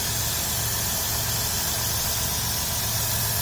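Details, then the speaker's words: Dodge Grand Caravan 3.3 L, salt-covered engine in winter, heard at the engine bay: steady, even idle, low smooth hum with hiss, no knocks or ticks. Healthy normal idle; throttle body cleaning planned. "but 3.3 liter nice and smooth no knocks or anything"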